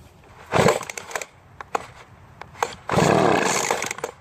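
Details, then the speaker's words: Poulan Pro two-stroke leaf blower after years of storage, spark confirmed, air filter clean: pull-starts, fires for about a second, then dies; stale fuel in the tank. "our test it ran for just a split second so we know it will definitely run"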